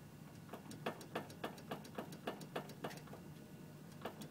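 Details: 2006 Honda CR-V: sharp regular clunks about three a second as the steering wheel is moved; on small bumps something binding or vibrating is felt at the paddles; loose steering part suspected.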